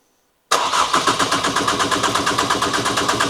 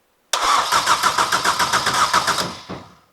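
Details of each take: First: Ford Fiesta ST, newly installed engine, first start with injectors plugged in but ignition coil pack unplugged: steady starter whirr with even compression pulses about three a second, never catches; crank sensor suspected first, actually no spark. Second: Ford Fiesta ST with a newly installed engine, powered by a jump lead, injectors unplugged to prime oil and check for fuel leaks: even starter cranking at about 3.5 compression beats per second with no firing. No start, as expected.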